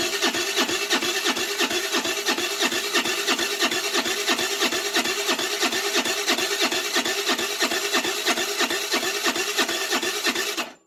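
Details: 2008 Baotian Tanco 50cc four-stroke scooter, half gutted, with fresh fuel: steady raspy cranking about three pulses a second, no firing; plug keeps getting wet, flooding, owner suspects a fouled carb.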